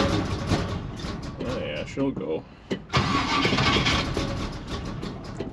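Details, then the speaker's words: 1956 Chevy big-block gasser wagon, long stored in a snowbank, battery fitted, throttle pumped: starter cranks on and on with uneven pulses and pauses but never catches; owner suspects no fuel in the carburetor bowls. "no fuel in the bowls probably this thing actually was sitting in a absolute snowbank hey man she's not happy"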